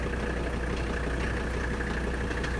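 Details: 1985 Mercedes 300D diesel, daily driven about 300 miles a week, idling with AC on: steady even rumble with faint AC fan hum, no knocks or misses; normal idle.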